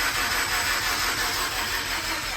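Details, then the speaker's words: First cranking of an RX-7 13B rotary swapped into a Subaru BRZ, before first start, oil possibly not yet fully through: starter spins the rotary at an even, steady pace with no hitches; compression sounds healthy and even. "That sounds like a healthy. That sounds real healthy. I'm not even gonna lie, bro. Bro! Woo! I heard the compression, man. That sounds crazy. It's so even. It's so even."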